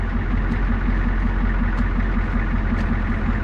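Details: Old Ford F-Super Duty with the 7.3 IDI diesel, started with the help of ether: a steady, even diesel clatter with a deep rumble and no misses or knocks. Normal diesel idle.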